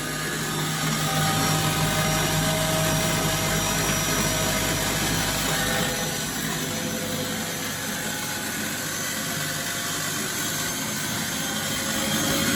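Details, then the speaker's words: Bosch WFF1401 washing machine after motor bearing replacement, back panel loosely in place, fast spin: steady whirring roar with rough gritty undertone; odd noise coming from the front, cause unknown. "There's a different noise complaint coming out of the front of it. I don't know what that is."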